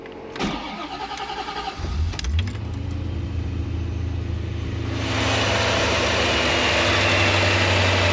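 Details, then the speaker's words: Corvette C4 after fuel pump install, following fuel pressure regulator trouble: short crank, then catches and idles down to about 900 rpm heading toward 700, steady and even with no misses or knocks; sounds healthy. "She idles down like she should. She's down to nine. Eventually she'll go down to seven. Sounds pretty good."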